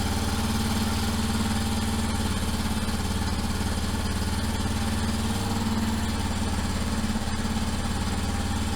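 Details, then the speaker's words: 1989 Yamaha Moto 4 YFM350ERW single-cylinder ATV, first start after head repair and carburetor cleaning (float suspected sticking); runs at a fast, steady, even idle on choke, no misses or knocks; normal idle. "I got the choke off. I'm just gonna let it idle for a little bit. I did not think it would start that fast but I'm so happy it did!"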